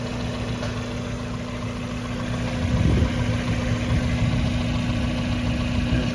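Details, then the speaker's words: 1994 Mazda Miata idling after first start following winter storage since October; steady idle with a constant low hum the owner hears from the air box, wondering if a mouse got in and ate the air filter; source not pinned down. "i hear a humming sound coming from the air box let's take a look at that maybe pop it open i wonder if a mouse got in there and eat the air filter"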